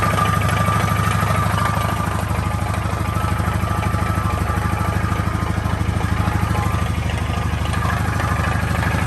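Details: 2013 Honda Foreman 500 ATV engine at steady low idle: an even tapping about three times a second rides over the firing; unexplained engine noise, cause unknown.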